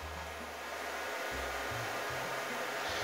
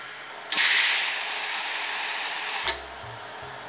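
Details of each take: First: Ozito gas/gasless MIG welder being upgraded to a Euro connector: low mains hum switching on and off in short bursts over a steady hiss as the gas solenoid, wired through a 12 V relay, buzzes and hums; owner attributes it to overcurrent. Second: Ozito MIG welder after a Euro-plug upgrade, with current-limiting resistors fitted to the gas solenoid: two sharp bursts of steady hissing as the trigger opens the valve, each cutting off cleanly; shielding gas flows normally through the flow meter.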